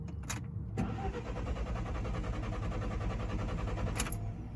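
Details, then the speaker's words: 2015 Alfa Romeo 4C Launch Edition right after refuelling: starter churns about four seconds before catching, then idles poorly; hard start caused by an evap purge valve stuck open, cured by replacing it. "you guys hear that it just struggled the start don't know why"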